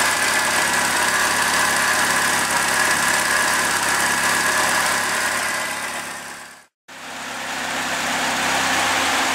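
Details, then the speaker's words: Second-hand Triumph Dolomite 1300 engine just fitted to a Gentry MG TF replica, first run warming up: even, steady idle with light regular ticking, no misses, most of the oil burned off, sounding sweet. "okay she's warming up nicely now most of that oil is burned off sounds really sweet I'm really pleased with that engine so far"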